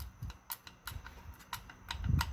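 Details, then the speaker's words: 4L60E transmission core teardown, likely early 2000s with washer-style reaction shaft; uneven dry clicks about three a second as the shaft is rotated by hand; reaction shaft teeth badly grooved and worn out, shaft needs replacing. "That's reaction shafts wore out. Alright. If you see how bad the teeth are grooved, that reaction shaft needs to be replaced."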